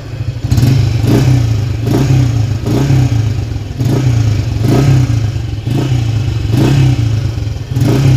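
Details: Motorcycle not run for 3 years, weak starter and battery, after engine reassembly and carburetor setting: blipped about every 0.7 seconds, revving up and dropping back cleanly and crisply; exhaust smokes, likely old oil inside.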